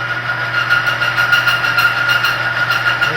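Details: Oil additive demo rig under added weights: a steady high metallic whine with a rough chewing edge over the rig's hum as the oil film breaks down and the parts score and gouge.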